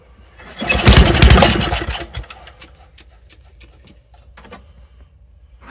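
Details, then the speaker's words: Old Toro snowblower that sat unused for over a year, pull-started in cold weather: catches for about a second of loud running, then dies to scattered clicks; fuel blows out the side of the carburettor bowl and the carburettor is blamed. "Drawing for a second and dying. Definitely that carburetor giving us a fit."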